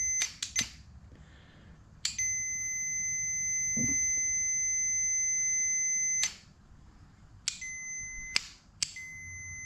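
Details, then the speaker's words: 1972 Honda CB500 Four, ohmmeter connected to starter solenoid, wire grounded: clean high meter beeps, one held about four seconds; solenoid closes properly and is good. "I'm sure you can hear that. So we got a good solenoid."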